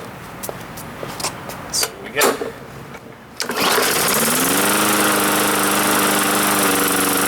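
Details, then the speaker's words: Free Bolens (MTD) 21-inch push mower, varnishy old gas, after priming: several pulls then small single catches and settles into steady buzz; cuts out shortly after starting, carb cleaning suspected needed. "primes okay so that's good news we have spark we have fuel we have air and she's cutting out a little bit but the fact that it runs is always a great starting point"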